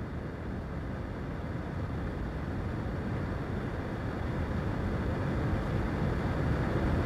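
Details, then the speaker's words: Car AC blower after replacing the recirculation door actuator on the passenger-side air box bottom and running basic setting: steady rush of blower air swelling in strength as the door moves; tone change confirms the repair, normal operation. "going back to the control head operating the research door actuator and see if we hear that change in tone now yup you can definitely hear it here"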